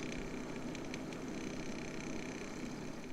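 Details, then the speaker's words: Waeco camping fridge condenser fan; quiet steady hum with faint rough buzz from worn fan bearing, before replacing the fan. "so i've purchased myself a replacement fan to hopefully deal with that bearing noise that i've got in my fan"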